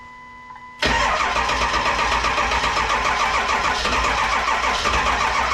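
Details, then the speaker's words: 7.3 Powerstroke diesel swapped into a 1951 Ford shoebox with standalone wiring, cold start in Minnesota, smoking: starter cranks briskly, then slows and never fires; charger supply trips out and cranking dies; weak battery supply. "it cranks good and then it slows down so much that it won't do in mhm it sucks by the time it gets to the point where it starts to the fire it's when the charger trips out it dies"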